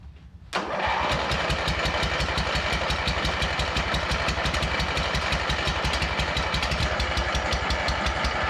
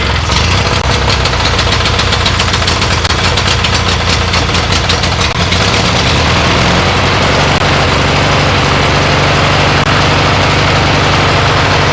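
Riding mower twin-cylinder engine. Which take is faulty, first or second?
first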